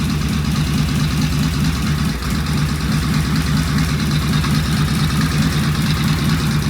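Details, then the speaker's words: Vintage British twin motorcycle "Fred" first start on the lift with primary open, oil pressure gauge fitted, pseudo-Dunstall mufflers; steady, even low thumping idle with no knocks, misses or rattles, healthy. "Wow, that sounded good. I feel bad is that sounds better than beauty did."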